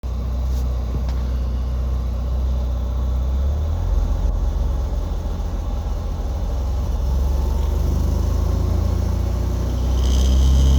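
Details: Porsche 944, crank no-start: starter churns the engine over at an even, steady beat but it never catches or fires; cause unclear.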